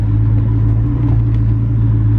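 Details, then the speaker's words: 2003–2004 SVT Cobra "Terminator" supercharged V8, just rebuilt with all 32 valves replaced, on its first test drive: holding oil pressure, AFR gauge not working. Deep, steady, even rumble with no knocks, ticks or whine; the engine runs normally. "But we are holding oil pressure. And you know, the engine sounds good."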